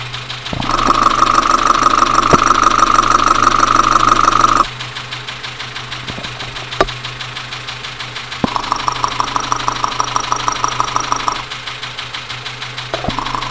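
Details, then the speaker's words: Dacia Sandero with Renault D4F 1.2 petrol engine, recorded via stethoscope at idle; sharp, even knock about three times a second; deep internal engine knocking, low oil and a spun bearing suspected, not confirmed. "so we've hooked up a recorder now put the headphones on and we'll see if we can get a recording of this engine knocking sound"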